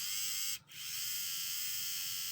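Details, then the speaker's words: Varney Alco FA1 model locomotive motor after reassembly, which earlier hummed but was jammed; with the power turned up it gives a thin, high-pitched steady whine with a brief dip, then a fast even buzz, spinning freely and speeding up: normal running. "had to turn up the power a little bit more but it's definitely running a lot faster than it was and it's speeding up as well"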